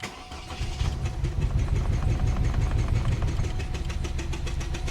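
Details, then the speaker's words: 2001 Pontiac Grand Am petrol engine, first start in months: catches and runs roughly with uneven knocks about three per second, seemingly on two cylinders; cylinder 1 misfire code, check-engine light flashing; plugs and one coil replaced without fixing it. "knocking real hard airbag sensors going off backed off turning on a little bit the service engine light sensor on there goes and starts flashing"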